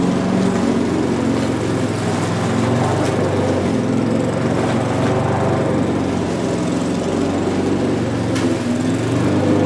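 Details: Mountfield budget push mower with entry-level Honda vertical-crankshaft engine, revived old unit, cutting grass: steady even buzz with no stumbling or surging; normal healthy running under load.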